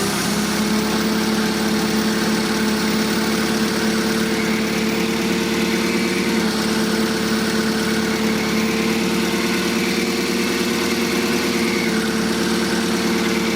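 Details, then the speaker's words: Forklift clutch release (throwout) bearing worn: steady idle after clutch adjustment, a lot better but a faint constant whine still rides above the engine note; new throwout bearing to be ordered before it seizes and tears out the fingers. "that is a lot better but I think what we'll do is we'll order a new throwout bearing if we order a throwout bearing now before it seizes and tears all the fingers out"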